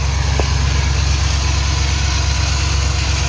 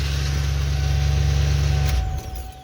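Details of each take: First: 1996 Ford F150 5.8L gas after starter replacement: steady V8 idle with an extra gritty mechanical whir underneath, unusual noise under truck like starter drive still spinning against flywheel; owner buying another new starter. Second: 1996 Ford F150 5.8L gas after starter replacement: steady low idle, then clean wind-down at shutdown with no grinding or clatter and without the noise the old starter made; starter sounds healthier, normal idle and shutdown.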